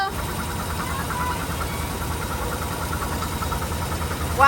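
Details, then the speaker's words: 1948 Cadillac's first start in 21 years, after the starter came back from the shop, the cylinders were oiled and the carb was rebuilt. It idles steady and even with no knocking or engine noise. "it runs good. No knocking, no engine noise, no nothing."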